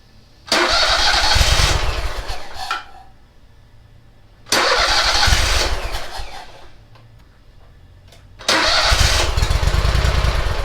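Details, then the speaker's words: Bush Hog zero-turn mower engine: two brief start-ups fade out, then the third catches and holds a steady, even idle; the carburetor works and the engine sounds healthy. "thank you that sounds great carburetor works perfect oh perfect"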